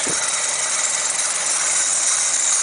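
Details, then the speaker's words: Ford Pinto engine with unleaded cylinder head of unknown origin, heavy vibration fault, distributor just twisted: rough, lumpy shaking tickover with tinny metallic rattle; exhaust manifold vibrated loose on its brackets. "the exhaust manifold is actually it's vibrated that bad it's it's um it's come loose on the exhaust brackets"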